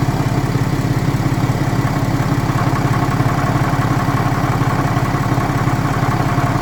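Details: BMW N57 diesel at idle, crankshaft and con-rod bearings, timing chain, belt tensioner and idler new: steady knock about two per second over the idle; noise only at idle, appears and disappears suddenly, cause not found.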